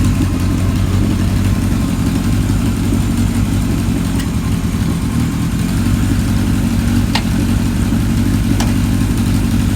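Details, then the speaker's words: 1978 Kawasaki KZ1000 LTD four-cylinder with new rings, warming up: even steady low rumble, no knocks, ticks or misses, smooth idle; normal running, no smoke or oil leaks. "Sounds like it's going to straighten out the more it warms up. Let the new rings break in and everything. Motor sounds good."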